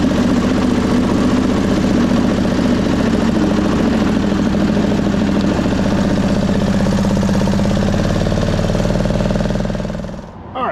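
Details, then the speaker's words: 1999 Craftsman lawn tractor, 20 hp V-twin, under mowing load: lopes unevenly, beat wavering and stumbling before dying out; owner suspects a flooding carburetor and plans a carb clean. "Well, to me it sounds like a carb issue and we've had some flooding problems."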